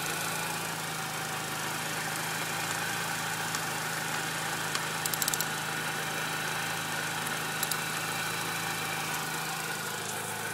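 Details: Idle after throttle body and BPV were removed, cleaned and refitted: constant airy hiss over a smooth idle that doesn't change pitch, owner suspects a vacuum leak, not from the intake; cause unconfirmed.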